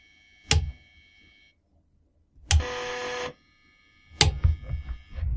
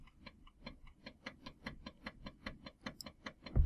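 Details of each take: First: Floppy drive stepper motor driven by a microcontroller with about 1000-microsecond step delay; sharp single clicks, then a short buzzing step tone and quick rattling ticks; sound keeps changing, suspected stepper getting stuck at one end, likely direction logic. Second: Floppy drive driven by a microcontroller through its step and direction lines, in a quiet room: crisp, evenly spaced clicks at about four per second. The head stepper motor is stepping normally.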